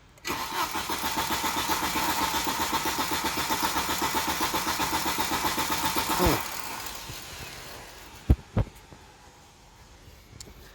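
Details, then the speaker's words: Volvo 940 turbo wagon stranded on the road: starter cranks steadily about four pulses a second for six seconds but engine never catches; no fuel suspected, loud whirring fuel pump likely failed. "my guess is it's probably that uh fuel pump that's been whirring away at me in a very loud and slightly unnerving way uh that probably finally gave up the ghost which is why i no longer have uh propulsion in this car"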